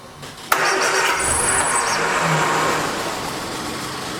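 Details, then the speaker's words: 1979 Triumph Spitfire, sat about 20 years, sharp click then steady cranking that never fires; still no fuel getting through, pump running fast, possibly stuck needle and seat, cause not confirmed. "Still don't think we're getting fuel. Pumping a little bit too fast."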